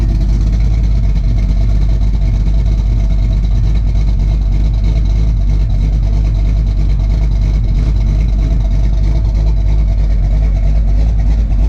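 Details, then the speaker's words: Ford Fox-body LX V8 with a big cam after fixing its surging idle: deep steady choppy lopey idle with no hunting or surging; running great, timing possibly a little low. "anyway guys I just wanted to say that the car is running great and I'm just going to let you listen to the car for a second"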